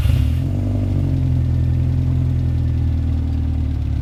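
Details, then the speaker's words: 2002 Subaru WRX, first start after fitting an AEM 340 lph fuel pump, checking for pump noise: a deep, steady, even idle rumble with no whine, tick or clatter above it; the engine is healthy and the new pump is very quiet. "is very quiet actually that's nice so that a.m. is actually relatively quiet"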